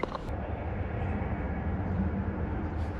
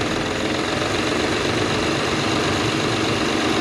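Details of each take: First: Acura TL before repair, flashing check engine light, running rough and smelling rich at startup; scanner later reports cylinder 6 misfire: low idle rumble with an uneven, stumbling, missing beat; cylinder misfire. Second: Acura TL after replacing coil and spark plugs for a cylinder 6 misfire (flashing check engine light, rough running): steady, even idle with no skipped beats, sounds better than before; normal idle.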